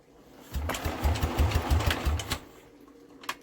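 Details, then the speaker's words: Old scrap-yard generator set engine, fuel in the primer, throttle held open: about three even cranking chugs a second for nearly two seconds, then stops without catching; cranks but won't fire. "we will be back and we will have another look at this but for some reason we're not even getting a fire out and we should be"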